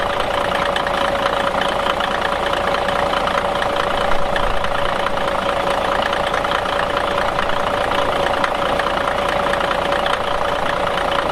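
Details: 1977 Peterbilt 359 motorhome's Cat 1693 diesel fired up and warmed, at steady idle: even diesel clatter with a constant mid whine, no stumbles or shutdown; sounds healthy, normal idle.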